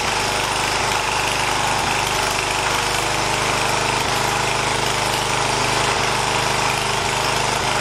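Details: 1980 John Deere 212 lawn tractor's engine, after replacing the leaking crank seal, on a cold day: a steady, even putter at fast idle with no misses, knocks or rattles, and no oil leak is seen.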